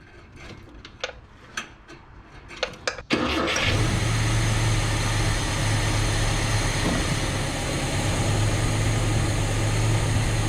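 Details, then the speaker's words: Truck after carburetor swap, starting with 50 psi oil pressure: clicks and clunks, then cranks, catches and settles into a steady, even idle. It runs smoother, though it has a known vacuum leak and loose carburetor bolts. "yo look who runs smoother that's what we like right there"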